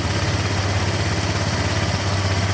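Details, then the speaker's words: Honda Vario 125 scooter after fixing radiator coolant running out quickly: steady, even low idle with no knocks or misses, no leaks below, coolant no longer spurting; engine safe, not overheated. "Berarti untuk mesinnya masih aman ya, ndak sampai overhead nih seperti ini tuh."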